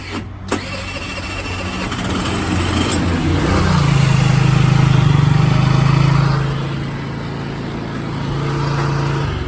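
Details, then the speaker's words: Baotian BT49QT-12 scooter after new battery, fuel supposedly drained: brief starter burst, then small engine catches and holds a steady buzzing idle that swells and eases; starts and runs without choke, likely on leftover fuel in the carb. "In case you couldn't hear it, it was running then. Okay, we switched it to turn it off. Don't know how it's doing that. Don't know how it's running."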